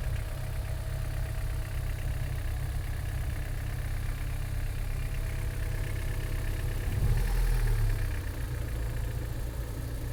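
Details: Honda H22A7 petrol engine idling with a deep, uneven rumble and a strange noise that briefly swells midway; abnormal engine noise of unknown cause.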